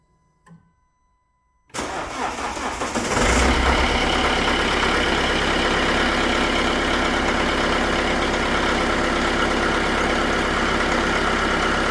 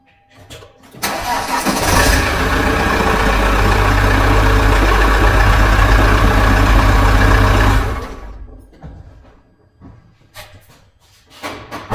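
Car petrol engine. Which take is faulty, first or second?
first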